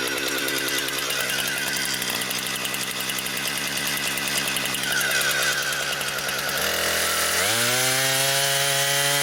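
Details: Brand-new Husqvarna 460 Rancher chainsaw, first run, cutting wood. Strong, steady high buzz bogs only slightly in the cut, then revs up clean when free. Healthy saw cutting normally.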